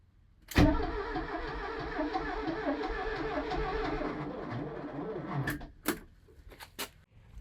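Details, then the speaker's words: Porsche 924 that sat about 30 years, cranking steadily with even compression pulses for about five seconds but never firing; no fuel delivery because the in-tank fuel pump is out of the tank and the tank is not plumbed in. "all right I've been looking at this for a couple of minutes I found a few major sort of issues first dead giveaway should have been this fuel pump that's on there that is an intank pump that goes right into the tank"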